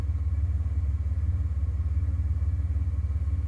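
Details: 1991 Ford F150 4.9L with stock default idle settings during real-time tuning: steady, even low thrum at roughly 700 rpm with a regular firing beat and no knocks or misses; a healthy idle.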